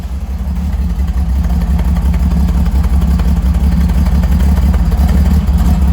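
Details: Freshly rebuilt Holden grey motor with twin carbs, first start, temporary open exhaust straight out of the muffler: deep, steady rumble with even pulse and raw bark; normal, healthy idle.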